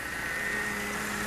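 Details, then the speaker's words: Ford Fiesta Supercharger running after throttle body cleaning, reprogramming and a compressor overhaul: steady engine hum with a constant high whine on top; the well-worn compressor makes a slight characteristic noise, nothing alarming. "e foi feita uma revisão de compressores compressor ruim de um pouquinho tá com barulhinho né mas é um pouco característico"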